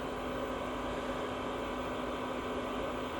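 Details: Chinese diesel heater with blue controller cooling down after switch-off, temperature symbols dropping: smooth constant fan whoosh with low steady hum, no combustion noise, until it finally shuts itself off; normal cooldown.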